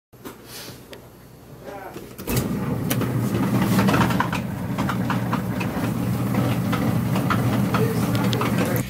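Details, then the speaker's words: Maytag/Norge/Jenn-Air front-blower dryer, noisy and not drying well, running with a loose, uneven rattle over a low hum. The blower wheel's splined center hub has worn on the shaft. "for that rattle basically what's happened is this is the blower down here"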